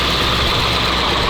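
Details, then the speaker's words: Abandoned ZIL-4975 fitted with a CASE 6TA-830 diesel: after rebuilding the manifold, fixing a leak, fitting the return hose and reassembling the steering pump, it started weakly but now runs with a loud, steady, even roar, no knocks; hydraulics checked OK. "Насос собрали, запустили. запустился плохо. Непонятно почему всё работает. Отлично."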